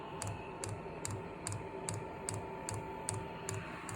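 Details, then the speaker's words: Amazon diesel heater newly installed in a garage, priming on a jumper pack because the battery was too weak. The fuel pump clicks sharply about 2.5 times per second over a faint hum while pushing fuel and purging air from the line; normal priming. "Oh, I hear it. Push fuel through. clicking away."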